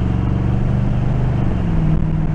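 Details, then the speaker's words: 1986 Oldsmobile Cutlass Supreme V8 on a road test, air cleaner refitted: deep, steady note pulling evenly under load, exhaust only occasionally fluttering; normal running under load, no miss now. "the exhaust sounds better it's still fluttering once in a while it's not like it was i'm going to keep your head pointed low see how she does turn onto the main road that sounds much better"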